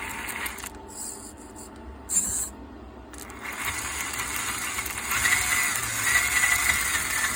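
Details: Axial SCX10 RC crawler with light metallic rattling and scraping ticks, about four a second, over a faint motor whir. The cause was loose chassis screws; the squeak was fixed with WD-40.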